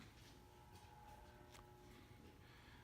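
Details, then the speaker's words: 48-inch Evergo 4E-3LW ceiling fan from the early 1980s, turning slowly on a fully variable speed control: low steady hum with faint fixed tones reverberating through the blades; typical motor hum from variable-speed control, not a fault. "unfortunately when you have fans running on a fully variable speed control they have a tendency to hum as you can hear and it reverberates through the blades kind of a cool sound to it though quite honestly I really don't mind it"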